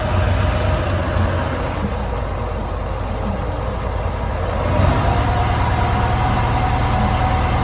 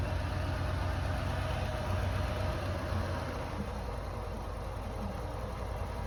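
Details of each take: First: Lancia Delta HF Integrale barn car, unrun for over six years, after new fuel pump, cleaned fuel lines, four replacement injectors and fresh high-octane fuel: low idle with slightly uneven pulse, soft stumbles and a small surge; mild misfire remains. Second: Lancia Delta HF Integrale barn car, unrun for over six years, after new fuel pump, four replacement injectors and fresh fuel, now warmed up a little: steady, even low idle, smooth beat, no misses or knocks; normal warm idle.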